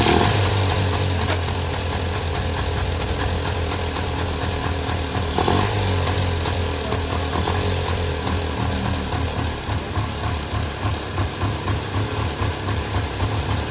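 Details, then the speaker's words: 1994 Polaris two-stroke 4x4 quad, long sitting, running after battery charge and starting fluid; uneven burbling beat with a few throttle blips, quite smoky; sounds healthy, just needed the battery charged. "that was surprisingly easy I guess uh just needed the battery charged"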